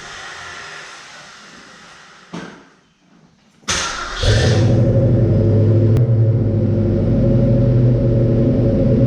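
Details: 1967 Mustang Fastback V8 being started to hear the exhaust before fitting new Flowmaster mufflers: cranks and catches, then settles into a deep, even burble at idle with a steady low throb and no misses.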